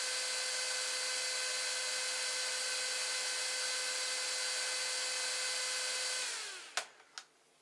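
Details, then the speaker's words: 80mm AMD CPU heatsink fan cooling a 24V-to-12V buck converter in a 3D printer, before swapping to a Silent 8 fan: high, steady whirring whine with buzzy edge that sags and dies at switch-off; overly loud cooling fan. "so let me plug it in one more time so you can hear the noise level so you can remember so just remember this noise level"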